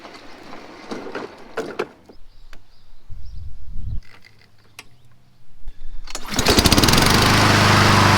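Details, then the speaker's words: Honda HRN216VKA lawn mower started up right after an hour meter was installed: a few seconds of handling noise, then the engine catches and settles into a fast, even beat, running normally. "Whoa, look at her go!"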